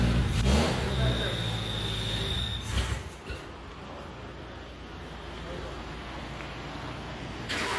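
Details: Renault LeCar with front and rear fans on: it catches and chugs unevenly for a couple of seconds with smoke, then dies, nearly starting. Owner suspects fouled plugs, wrong fuel mixture and some flooding; the accelerator pump may leak.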